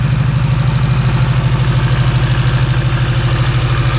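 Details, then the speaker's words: Porsche 924 Turbo that nobody could get running right for years: starts up but idles unevenly with a lumpy throbbing pulse about 150 per minute; rough running engine. "all right let's start this thing up see how she does it's not running great"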